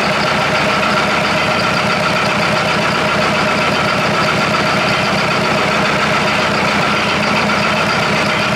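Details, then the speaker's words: Perkins diesel in an old Australian-made Chamberlain R1250 tractor crane, running: even, steady clatter with no misses or stumbles; settled idle, all four cylinders firing evenly. "yeah sounds good it sounds good running on all four"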